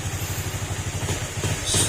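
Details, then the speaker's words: Honda RS150 single idling smoothly and quietly after the cam holder was sanded and the engine reset. Even, steady thump, no knock or clatter; normal idle. "swabe yung takbo ng motor. Yan, ito na yung motor mo sir, pwede mo nang makuha. At tahimik na rin siya."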